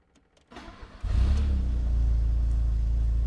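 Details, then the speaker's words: Old Italian sports car that previously stumbled at idle and stalled, started after a timing belt replacement: a brief crank, it catches at once and settles into a steady, even idle that is slightly high, attributed to the warm-up cycle; no knocks or misses. "look at that she actually starts up and it runs H give it a couple of revs okay so the idle is a little bit high but I believe it's because it's in the warm-up cycle"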